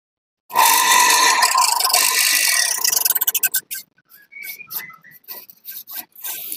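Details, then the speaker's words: Jet water pump with weak suction, run without its booster block: harsh, gritty whir and high whistle from a rough, worn motor bearing, the rattling also caused by heavy scale deposits inside. "berya juga kasar kemudian suara yang kemeratak itu berasal dari kerak-kerak yang seperti ini"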